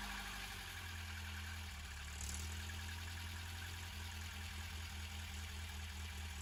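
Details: 1989 MK4 Ford Escort idling cold after first start in almost a year, no choke needed; smooth, even low idle with no misses or knocks; normal idle.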